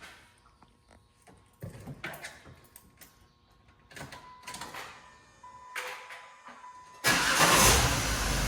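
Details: 2007–2011 Jeep Wrangler 3.8L V6, engine ice cold, started after an additive treatment: handling noises, then the engine fires and runs with a steady roar and none of the usual cold-start rattle/knock.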